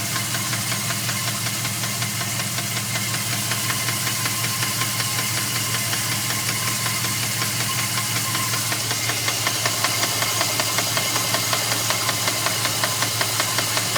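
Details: 2002 Dodge Ram 4.7 at idle: loud, regular, sharp deep knock about twice a second; three mechanics say it needs a new motor, owner unsure if something else causes it.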